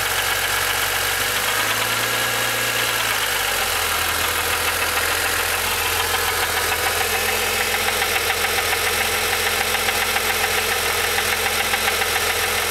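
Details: Rebuilt S20 transmission: harsh gritty grind over idle with an uneven rattling beat, which goes away when the clutch is pushed in; gearbox grinding, likely input side.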